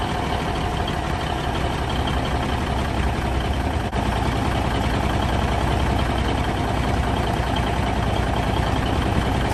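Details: 1971 Peterbilt 352 diesel, sat for a few days, idling after an ether-assisted cold start: deep, even low rumble and steady clatter, no misses or knocks; running smoothly.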